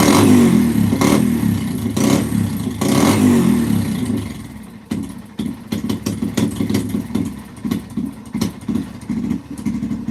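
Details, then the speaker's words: 2005–2009 Yamaha TTR-230 single-cylinder, retested after an adjustment set at one and a half: loud rev surges, then a ragged idle that keeps sagging toward a stall. It runs great on choke; carburetor fuel starvation is suspected but not confirmed. "I mean a little bit better but not not much it's still falling flat on its face holy cow what the heck did the customer do to the carburetor"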